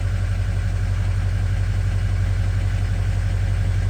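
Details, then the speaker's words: 2003 Ford Excursion 6.0L diesel just after replacing both fuel filters and bleeding air: fires up easier than usual, steady even clatter at idle with a deep constant rumble and no misses; the fuel filter warning light is still on. "okay try her out oh she fired up a lot easier than usual"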